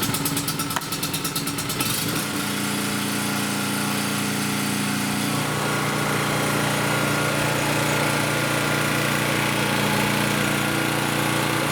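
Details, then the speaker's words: Champion generator that had no compression and wouldn't start, after valve adjustment restored compression, choke on: pull-start catches within a couple of seconds, then a steady, even single-cylinder drone. Normal running. "So as you saw, guys, that was quite an easy fix. So oftentimes, guys, all that generators need to run again is to have the valves adjusted like I showed you."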